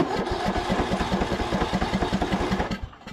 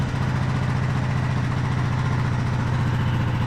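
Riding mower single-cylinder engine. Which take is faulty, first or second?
second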